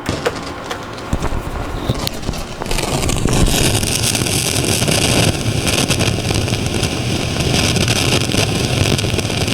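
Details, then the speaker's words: Marantz 2252B receiver, previously stuck in protection: one output channel shows DC dancing and heard as loud, dense crackling hiss; usually caused by the front-end differential (long-tail pair) transistors and can throw it in and out of protect. "that one channel has got all that noise on it in fact if we listen to it it should exhibit itself as a pretty noisy Crackle"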